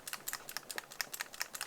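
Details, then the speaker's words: Action camera rattling loose inside a Penivo aluminium cage held near the microphone: fast, bright metallic clicking about ten a second. "that rattles it's gonna play havoc with the microphone yes so that's not such a good idea but it's not unsurpassable"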